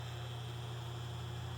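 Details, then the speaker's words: 1936 Westinghouse Poweraire 10-in table fan, cat. 10-SQ-3, shaded pole motor drawing slightly high current: steady low electrical buzz louder than blade air, slightly unbalanced blade; owner attributes it to aging winding varnish breaking down. "so as you can hear this fan does have an electrical buzz and unfortunately is seems to be a pretty common problem with these this is a shaded pole motor"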